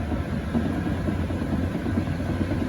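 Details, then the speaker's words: IS1100L+ sweeper, about 244 hours, live test on banquet-hall carpet: steady low whirring rumble from main brush, no knocks; possibly worn brush hub or wear and tear, also a sloppy drive pulley key and drifting belt, cause unconfirmed; carpet marking reported. "the only thing I hear is the brush and that may be the Hub being worn it could be fair wear and tear"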